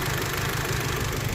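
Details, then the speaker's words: VW Golf R with an intermittent cylinder 2 misfire and a stored fault code, spark plugs swapped during oscilloscope testing: the idle has an uneven, lumpy beat, judged definitely a misfire. "So I would say that's definitely a misfire at"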